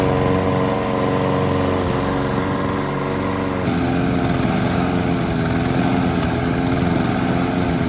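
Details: Honda and Mountfield petrol lawn mowers running together until out of fuel for winter storage: each a steady even buzz, no misses or knocks; both healthy, normal running.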